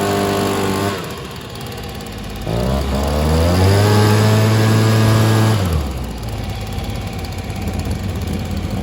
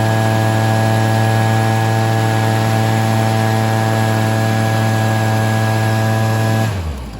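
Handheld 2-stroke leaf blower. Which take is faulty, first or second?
first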